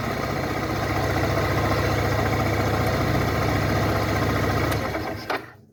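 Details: 2012 Suzuki Burgman scooter: steady fairly regular knocking, roughly three or four per second, over engine drone under acceleration, then fading; cause unknown.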